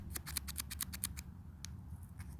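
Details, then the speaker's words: Husqvarna trimmer carburetor metering diaphragm, separated from its gasket and flicked by hand: dry papery crackling clicks, about eight in a second, unlike a silent new one; diaphragm has hardened and must be replaced or fuel won't flow. "now after separating them and flicking the diaphragm you can hear just how stiff it's become"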